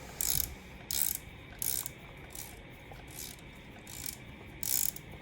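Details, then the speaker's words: N500 auto espresso grinder used for about 8 to 10 years, calibrating by turning the burr adjuster down: short crisp clicks about every 0.7 seconds signal the burrs nearing the zero point; without the clicks the grind won't be fine. "Nah ini Kalian Dengar suaranya kalau udah ada suara Sepertinya dia sudah mulai mendekati dasar ya kalau belum mendengar suara seperti itu berarti dartnya masih belum sampai dasar jadi gilingan kalian ggak bakal bisa halus"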